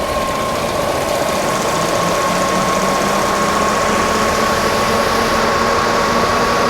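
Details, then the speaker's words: VW Eurovan Winnebago camper, about 56,000 miles, hood open: even, smooth idle with a steady high hum from the belt-driven accessories and no knocks, misses or surging; everything looks and sounds right, normal idle. "not a whole lot to report here everything looks the way it's supposed to sound good idling smooth all good stuff"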